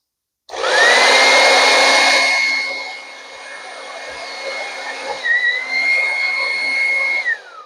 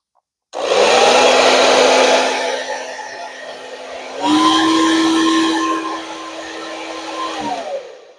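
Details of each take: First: Revlon hair dryer that cuts out, with its cord bent where it enters the handle. The fan whine sags, surges and dips unevenly, then cuts out abruptly. Intermittent power loss is suspected to come from a broken cord wire at the strain relief. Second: Revlon hair dryer that was cutting out, after repair: steady airy whoosh with even hum stepping up to the higher setting and holding without dropouts; normal running.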